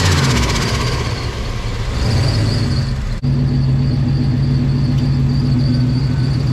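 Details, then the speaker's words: Ford Bronco idling in a garage right after an exhaust leak was fixed by tightening a loose flange bolt (manifold not cracked); the idle runs pretty rich, as it likes to. Even, steady, smooth exhaust note with no puffing or ticking. Normal idle. "we'll shut her down so i don't get uh any carbon monoxide poisoning maybe open the garage door a little bit pretty rich but that's where she likes to idle"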